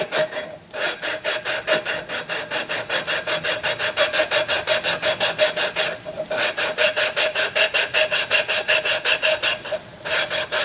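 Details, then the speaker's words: Lapping a valve into its seat on a Fairbanks Morse 3HP Z engine during restoration: steady back-and-forth rasping strokes, about two and a half a second, going quieter as the compound's abrasive breaks down and the seat gets smoother. "hear that compound get quiet. The abrasive particles actually break down. And you can feel it get smoother."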